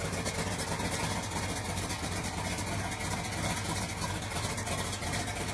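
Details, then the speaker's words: 1979 Trans Am idling with no foot on the throttle, holding about 850–900 RPM easily after fuel, water and fan were switched on: a steady low rumble with an even, unhurried beat and no misses or knocks. The idle is healthy. "As you can see, I don't have any foot on the throttle or anything. It holds it idle pretty easy, right at about 850, 900 RPMs."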